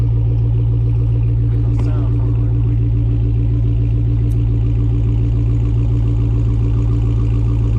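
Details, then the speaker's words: Dodge Hellcat V8 with the stock active exhaust valves deleted and held fully open by a dummy plug, no check engine light: deep, steady burble with strong low rumble and even pulses, no rattles or drone, as throttle is given. "so these exhaust valves are open and anybody that has a charger pretty much knows what they sound like on a cold star so now these valves are all the way open and I'm going to give you some gas"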